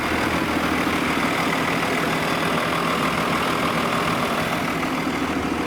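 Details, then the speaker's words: 2002 Thomas Freightliner FS65 school bus, 5.9L Cummins diesel with Allison 2000 transmission, idling: steady, even low rumble with no knocks, misses or rattles; engine sounds healthy and normal, though owner notes unexplained smoke of unknown cause. "It's 2002, whatever. Engine sounds good."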